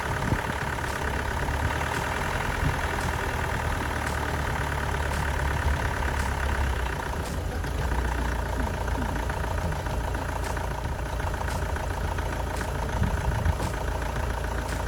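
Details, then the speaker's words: Astra van diesel after engine change (old engine's water pump leaked), new belt fitted: even idle clatter, low regular beat, no heavy knock; runs sweet, though possibly a slight low-rev misfire, other injectors may be changed. "well that seems quite successful took a little bit of time to get the diesel to come through again that's to be expected after everything's been disconnected sounds like it runs quite sweet"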